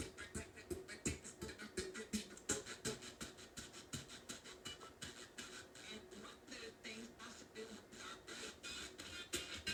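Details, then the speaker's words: Heathkit AR-15 solid-state AM/FM stereo receiver under repair, FM tuner: station audio throbs in a steady pulse about three times a second on both channels; pulsating audio output, suspected amplifier fault, not confirmed. "all right so here's the fm tuner still doing the same thing with this that pulsating audio sound"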